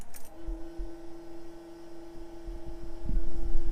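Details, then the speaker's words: 6BT Cummins-swapped Jeep, key turned on with the engine not started and the radiator not yet fitted: a click, then a steady, even electric hum holding its pitch as the fuel pump kicks on; normal fuel pump priming. "you can hear the fuel pump kick on so literally uh everything is ready to go"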